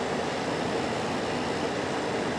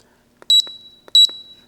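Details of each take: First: Hisense dehumidifier with an E9 error, switched to continuous mode; owner thinks a connection may have come loose. The pump kicks on with a steady, even hum and airy rush, no knocking or rattling: normal running. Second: Hisense dehumidifier found in the trash, showing an E9 error even after a new sensor was tested. Two sharp, high beep pairs about two-thirds of a second apart as the unit cuts out; owner suspects a plugged water path. Error alarm beeping.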